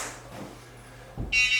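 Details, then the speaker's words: Jazzy Passport folding power wheelchair, Pride Mobility, just after battery pack fitted and power on: steady high electronic beep because one drive motor is in neutral (freewheel); stops once the motor is put in gear. "And the reason it's beeping right now, we probably have a motor in neutral. So I'm going to put the motor in gear."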